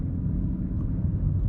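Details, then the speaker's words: BMW F30 ActiveHybrid 3 (335i) driving after wheel bearing replacement: even low rolling rumble with the engine now audible, no growl or hum from the wheel; bearing noise gone. "Like what it was before, I don't really hear that sound for the wheel bearing."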